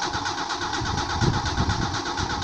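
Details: Engine crank-no-start diagnosis lesson: steady, even cranking rhythm that never catches or fires, starter spinning freely; cause is an inoperative fuel pump giving no fuel pressure.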